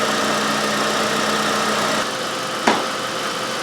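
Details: 2013 Toyota Corolla 1.8L after fixing the faulty AC sensor behind code B1479: steady, smooth idle in the garage with AC on, even hum, one brief tap near the end; vent blowing about 40°, running normally.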